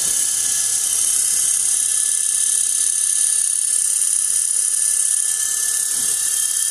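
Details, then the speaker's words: 1 hp, 2500 rpm, 90 V DC motor run at only 12 V from a computer power supply, just after cleaning brushes and commutator: steady high hiss over motor hum, no knocks, brush noise expected for a few minutes. "and there you have it so reason why it's making that noise because i just cleaned out the the brushes so and it usually makes it sound for a couple of minutes"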